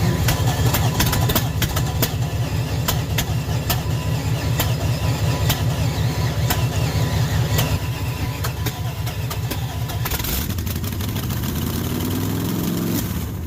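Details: Junkyard small-block Chevy 350 V8 on an engine stand after years in storage, hot, now on open headers: loud, lumpy, steady beat firing evenly with no knock or miss; runs healthy.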